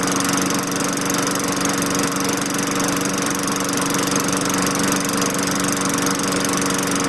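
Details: 2003 Craftsman 22" mulcher mower with a Tecumseh 4.5HP engine, running on a new LEV 100-115 carburetor after the original gave starting trouble. Steady, even governed drone with no surging or misses.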